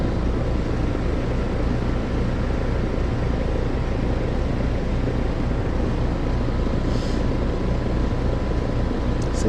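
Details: Heat pump outdoor unit with the fan disconnected; fan hub checked fine and defrost cycling okay. Heavy low rumble with a rough churning edge under a steady hum. Compressor sounds rough and is the loud noise, judged about to fail and needing replacement.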